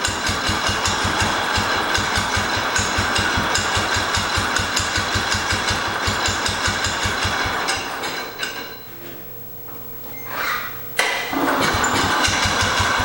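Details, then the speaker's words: 1968 Cub Cadet 122 with a 12 hp Kohler, previously frozen transmission: steady single-cylinder thumping that sags and nearly dies before catching again; owner suspects the fuel system, not confirmed: engine stumbling and dying. "we'll take it out and drive it around sounds like it's dying"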